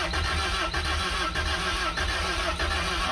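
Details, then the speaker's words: Toyota TE72 wagon barn find; steady starter churn with even chug every half second, turning over but never catching, almost tries to start — crank no start, no spark. "It wants to, but it doesn't. It almost sounded like it was gonna try to start. It did. It was trying to jump into."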